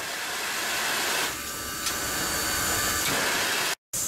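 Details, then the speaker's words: Grand Canyon steam locomotive boiler injector, unsuccessful start: steady loud hiss of steam blowing through and venting outside without stopping; the injector fails to pick up water. "and here's an unsuccessful start see how the steams coming out and it makes a very distinctive sound"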